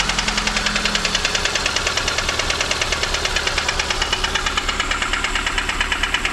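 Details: VAZ 2115 Samara, 1.5 8-valve engine, valves adjusted: sharp ringing metallic knock about three a second over the idle, appeared suddenly in the morning; owner suspects piston 4, camshaft seems fine; engine knock, cause unconfirmed.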